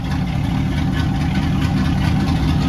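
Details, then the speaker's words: 1979 Ford Bronco first start after rewiring relay and battery feed: deep, even engine rumble, steady firing beat, no misses or knocks; normal idle. "yeah that's what i'm talking about let's go sounds pretty good eh not bad"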